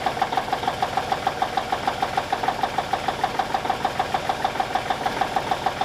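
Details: 1989 K100E with a Cummins Big CAM IV diesel idling after a -6 °C cold start: steady, even clatter at about 200 beats a minute with no extra knock, a little smoky, healthy.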